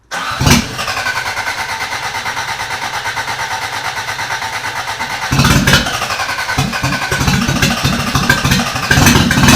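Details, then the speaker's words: Rebuilt Toyota Corolla engine's start attempt after redoing distributor timing (suspected 180° off): starter churns unevenly with ragged firing bursts that almost catch but never run; oil leak found at oil temperature sensor. "oh it sounded like it was gonna start but now we have a leak oil leak"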